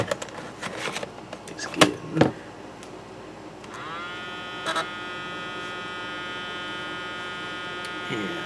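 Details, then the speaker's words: Aged slimline laptop floppy drive, no disk inserted, separate drive motor running with no belt; thin steady high whirr with no load because the deteriorated drive belt has broken; fix is replacing the belt. "drive motor running with no belt"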